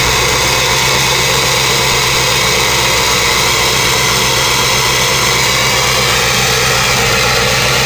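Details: 2000 Ford 7.3 Powerstroke diesel cold start in 7°F Wisconsin weather (about 10 above said): loud, even, steady clatter with no lope or misses, white smoke; normal cold idle.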